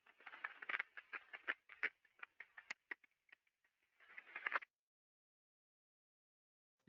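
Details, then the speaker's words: Ultrasound recording of a very slow bearing at 14 RPM: sharp crackly clicks and bursts at uneven pace from impacting on visible inner race damage. "can clearly hear the impacting on the bearing you can see even the damage on the uh the race right here"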